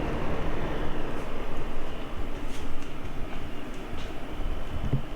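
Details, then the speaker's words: Iceco JP40Pro 40-litre 12V fridge on a Jackery, set to 39 degrees in Max eco mode from 73 degrees room temperature: low, even hum with soft rumble, no knocks or rattles. Compressor runs smooth and normal. "39 degrees currently in Max eco mode and let's go ahead and let it cool off so we can tear the compressor running but it's it sounds very smooth"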